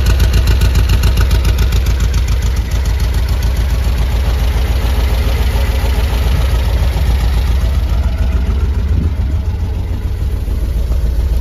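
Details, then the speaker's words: 1973 VW Squareback air-cooled engine after rebuild: now deep, even thrum firing on all four, idling nicely, though carbs are worn. "but now running lovely yeah these carbs are worn"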